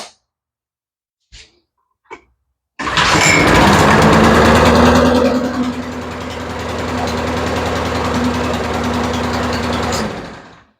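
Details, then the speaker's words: Troy-Bilt push mower with Quantum engine, carburetor just rebuilt: after several pulls it starts but surges and thumps unevenly instead of holding steady; runs rough from a sticking choke. "And you can see it's running, but she sure isn't running very well."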